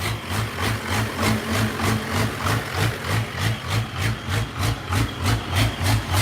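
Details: Unmuffled diesel; idle surges in an even lope about three times a second, traced by spraying starting fluid around the injectors while running to one injector that is leaking, possibly an air leak.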